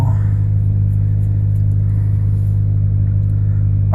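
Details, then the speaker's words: 2000 Ford Focus 1.4 with big exhaust pipe, cold start after cleaning the idle control valve for a hunting idle: even fast low rumble, steady deep hum, no misses, raised idle on choke while warming. "let's get a bit of gas let's take them up a little bit 200 2,000 there go now she's on choke so what I'll do I can either leave it here"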